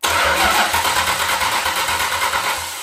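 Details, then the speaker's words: Original 1970 Plymouth Superbird 440 V8, stored 40+ years, cranking on newly fitted starter before distributor installed: starter spins the engine at an even, steady pace with no catches or grinding; healthy engine cranking. "nice that sounds like a healthy engine"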